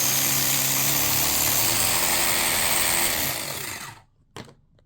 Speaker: Well, yeah, if you're not quite sure what that noise is, I'll try and show you with some lighting. You can see down there, that belt.